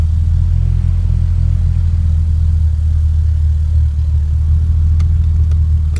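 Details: 2.3 turbo four-cylinder at idle: low deep rumble with an uneven, lumpy beat rather than a smooth hum; engine misfire.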